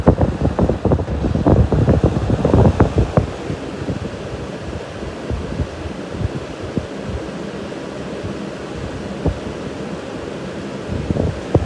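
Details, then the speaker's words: Wizard 20-inch two-speed four-blade box fan, model possibly 6-1, about 3 amps on high (4.2 amps at startup), 1.85 on low; fairly quiet for a four-blader, strong air mover: gusty rush then softer whoosh winding down, no rubbing or ticking; normal running and coasting down. "For this being a 4-blader, it's really not that loud. Quite the air mover though."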